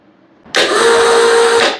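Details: Briggs & Stratton Intek riding mower with a good battery and a dry spark plug: about a second of quick, even cranking with steady starter whine and no firing; broken camshaft compression (decompression) release.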